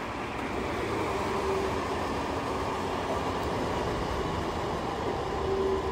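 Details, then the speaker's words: New 100 CFM bathroom extractor fan running on a bench, lifted so its intake is unrestricted; steady airy whoosh with faint hum near 380 Hz as it decelerates with less suction resistance. "how it's decelerating that's because it's got less resistance now"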